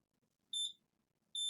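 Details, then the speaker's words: Lenovo V15 laptop with no power: two sharp high multimeter beeps, the second held, show a dead short across the junction of an input-circuit MOSFET blown with a visible hole; no fuse fitted. "and it's beeping here so it's exactly what is the junction uh blow up"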